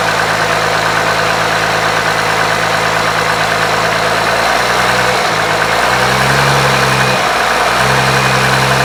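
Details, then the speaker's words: 1995 12-valve P-pump Cummins diesel after DIY pump timing work, fuel plate removed, toward 600-650hp: junky rough idle that clears with a little throttle; owner suspects governor springs or notch screws set wrong; no fuel leaks. "idle's kind of junky but if you give it some gas it goes away"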